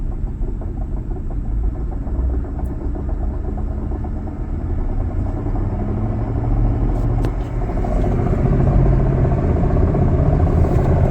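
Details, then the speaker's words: 2008 Ford Expedition 5.4L 3-valve V8, almost 260,000 miles, at idle: rough gravelly drone; A/C compressor pulley bearing seizing and not spinning freely, to be replaced. "Currently this one sounds horrible and it is basically seizing and will not spin freely anymore."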